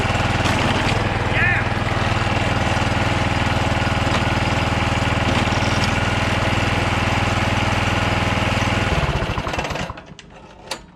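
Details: John Deere JX75 walk-behind mower after drive cable and clutch lever replacement, restarted with the spark plug refitted. Steady, even putter with no misses or knocks for several seconds, then winds down and stops. Normal running.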